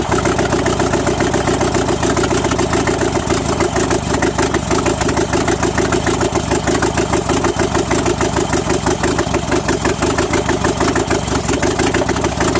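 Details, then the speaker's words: Engine randomly missing sparks to the plugs, checked with timing light: steady idle with uneven stumbling beat about three per second; intermittent ignition misfire, owner suspects the condenser, not confirmed. "okay answer me this why is it skipping it's not firing all the time it's like skip some"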